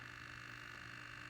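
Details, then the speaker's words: 3D-printed Iron Man helmet face-plate servo run by an Arduino on 4 AA batteries: a faint, steady electric hum with a thin buzzy tone. Servo humming because the batteries are going dead. "um batteries are going dead on the servo that's why you hear that huming"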